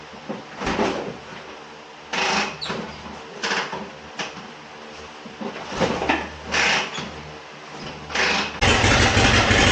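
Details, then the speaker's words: 1957 Harley-Davidson Panhead V-twin, first start after long storage with rebuilt Linkert carburetor and ether: rough cranking bursts, then loud chuffing uneven idle; exhaust leaking at both loose head flanges, also hard starting and smoking a little. "I know it is leaking at both of the flanges here for the exhaust. I need to go ahead and tighten those up."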